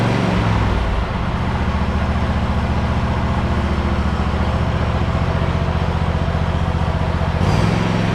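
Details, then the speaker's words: Hustler Raptor SD 54-inch zero-turn mower, Kohler 7000 series 25 hp engine, about 100 hours, cold start after sitting a couple of days; clean start into quick even putter, no misses or knocks: normal cold start and idle. "this is uh from a cold start and i haven't started it in about a couple of days since i mowed last"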